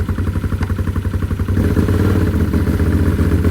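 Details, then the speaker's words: Built Can-Am Outlander 850 V-twin with performance cams on race gas, first start after engine reinstall, in gear, light throttle; choppy uneven lope about four pulses a second over deep exhaust rumble, healthy performance cam lope. "You can hear those cams already. And you can smell the freaking race gas."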